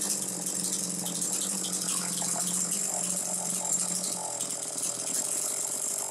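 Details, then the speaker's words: Very clean Homelite Super 2 chainsaw, possibly around 1990; a bright, buzzy two-stroke note holds steady for the whole run with no stumbling or surging, so it is running clean. "so anyway you hear it it's running good"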